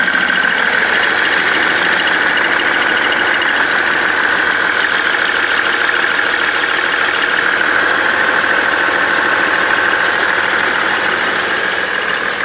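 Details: BMW 330d E91 diesel at idle after main and EGR thermostat replacement, also smoking: rough repetitive knock about three per second under hissy background; source of knock unclear.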